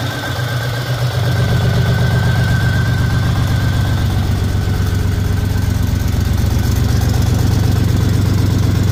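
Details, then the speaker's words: 1984 Buick Grand National V6 on E85 idling after fitting 3-inch Pypes catback to a 3-inch downpipe with open cutout, no cat; steady even idle with loud raspy open-exhaust sound like a leak, but no leaks felt at clamps, no smoke; normal. "sound like I got an exhaust leak, but I guess that's what the cutout pipe sound makes it sound like. I'm assuming, but when I stick my hand around all the clamps, I don't feel any exhaust leaks whatsoever, and there's not any smoke leaking from anywhere."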